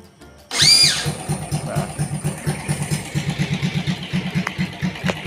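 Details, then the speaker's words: Yamaha Vega R New standard engine fitted with a CPO PE24 carburetor, using a cheap local replacement starter motor: a brief, loud, high whirring whine while cranking, then it catches into an even putter; the carburetor runs normally. "Namun karena menggunakan dinamo starter lokal, suara saat dinyalakan akan seperti ini."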